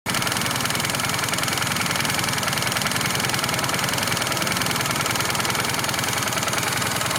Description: Happens after riding for a while. Disappeared after I stopped the engine and switched it on about 5mins later.